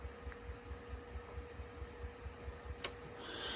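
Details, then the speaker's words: 1936 Grunow Teledial 1297 radio chassis, new-old-stock tube fitted in the 6K7 position: soft, regular low thumps about four a second, like a heartbeat over a faint hum. This is audio motorboating; a blown tube was found nearby. "let's see if we hear that pulsation in it again yeah I can hear it like an oscillating hear it like a heartbeat"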